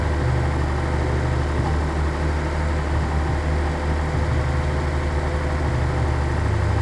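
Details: 1983 Nissan 280ZX Turbo, cold engine: low idle that wavers and stumbles midway before settling. Rough cold idle. Cause unconfirmed; owner suspects fuel injector, fuel pump or fuel pump damper, throttle switch or airflow meter binding.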